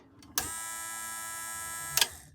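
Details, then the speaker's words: Boat automatic bilge pump, which had been spinning very slowly, after the wiring was checked stage by stage with a multimeter and reconnected: lifting the float switch starts a steady, even whine for about 1.5 s, then it stops with a click; it now works end to end. "and there we go it works beginning to end"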